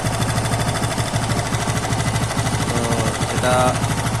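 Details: TVS Apache RTR 160 2V motorcycle at idle: quick, sharp, steady metallic ticking at about three per second over the engine. Ticking noise ("tik tik") with cause not yet found, before full engine teardown.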